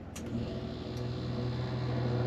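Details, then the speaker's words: RV rear Dometic air conditioner on generator after replacing faulty thermostat; low steady hum swells as compressor cuts in and generator takes load, starts cleanly and runs evenly; normal compressor start. "yeah can you hear it near the compressor you can all's good we got air conditioning now working good"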